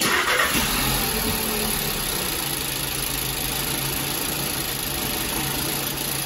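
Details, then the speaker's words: 2014 VW Jetta 1.8 L running rough, oil overfilled: a lumpy, stumbling idle beat about four times a second; the cylinder 2 misfire moved to cylinder 1 with the chipped, dirty spark plug, confirming a faulty plug. "And as you can see, it moved over to one. Right there it is. So, that confirmed it was the spark plug."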